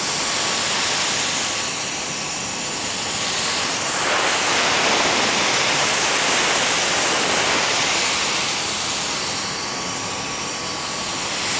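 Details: Toyota MR2 3S-GTE: intake hose between turbo and AFM pressurized for a leak test; steady airy hiss escaping through grooves worn in the flexible section. At WOT this would likely act as a vacuum leak, making the engine run lean.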